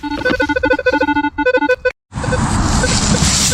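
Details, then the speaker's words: Metal detector on an early-1800s farm site: constant ragged jumbled low and high tone beeps with no target; heavy ground/area interference, Manticore handled it better; cause suspected, not confirmed. "This is absolute god awful. And high tones, you can kind of like hear it popping through. It's real difficult. Absolute bad."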